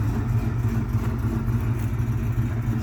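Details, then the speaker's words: Bad ignition coil suspected on cylinder three causes a rough, uneven idle with a stumbling low beat and dropped pulses, still misfiring as before while residual oil burns off the exhaust after a catastrophic failure. "we've got bad coil already found on this side here seems to be suspect of cylinder number three and a little residual burn off on the exhaust"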